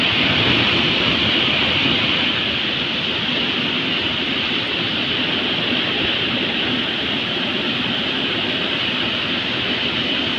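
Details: Heater blower motor fed from the fuse panel. Steady, hissy whoosh with a faint fast flutter about four times a second. Noisy blower motor, cause unclear.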